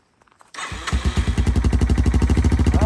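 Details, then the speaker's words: Yamaha TTR-230 dirt bike after carburetor removal and cleaning, cold start without choke: catches after brief crank and settles into an even, steady thump about three beats a second; clean easy start, runs better than before, previously dirty carb. "Didn't need the choke. Jeez, that sounds really good."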